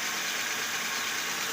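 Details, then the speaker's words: Nissan Sentra idling after the fan belt was reset and the bearing repacked: smooth, even idle with a steady hiss and no squeal, chirp or knock. The earlier noise is gone. "So kikita ninyo, papansin ninyo, naririnig ninyo, wala na siyang tumutunog. So ni-reset natin ng pund belt tapos ni-repack natin yung bearing."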